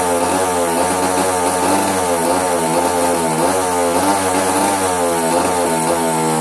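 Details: Hobbyking RCGF 30 twin-cylinder engine buzzing high and unevenly, its pitch wavering and dipping as misfires drop firings, caused by a faulty ignition.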